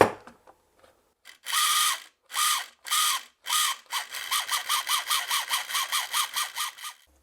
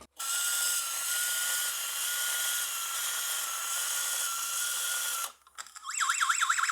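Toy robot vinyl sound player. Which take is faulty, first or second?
second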